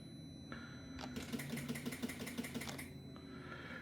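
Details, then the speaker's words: 2025 Can-Am Outlander 700 with Rotax engine, nearly new, lost all power while riding; pressing start: rapid, even clicking about three per second with no cranking; battery reads 10.9 volts, too low to crank. "Click, click, click. Was a little battery signal on before. There we go. Battery's on, but um she's brand new."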